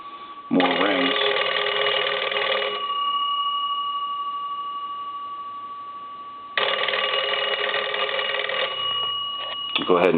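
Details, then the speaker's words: Restored Cracraft Leich wooden wall crank telephone, final checkout after repair and rewiring: two clear bursts of rapid crank-driven bell ringing a few seconds apart, crisp and strong, normal bell ringing. "let me do this let me ring the telephone one more time i want to make sure that the telephone is positioned give you a couple"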